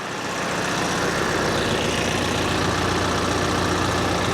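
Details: Kioti RX7320 diesel tractor idling just after an oil and filter change, started to check levels and leaks: even, steady clatter with no misses, knocks or hunting; normal idle.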